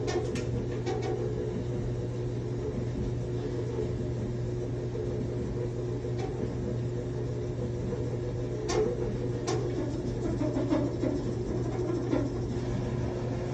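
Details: Samsung top-load dryer, 6-7 years old: steady low hum with a rough rumbling churn and a few scattered light ticks; running but abnormal, cause unknown.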